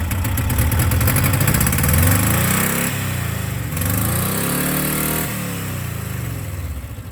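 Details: 1984 Subaru Brat (84 or 85) EA81 flat-four, sat about 10 years, now revived: even firing on all cylinders with throttle blips settling cleanly, hardly smokes; timing a little off; normal running.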